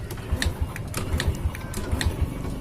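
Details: 2006 Honda Supra Fit New after repair of a hard, seemingly seized kickstart (minor clutch-side fault, not the piston): kicked over with ignition off, even steady thumps, turning freely without binding.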